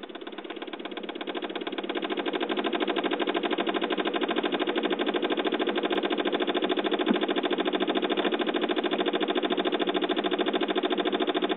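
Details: 2007 Saab 9-5 on attempted start: a fast, steady chatter of about 200 clicks a minute that never catches; after a jump start it runs, then dies. Weak battery suspected, not confirmed.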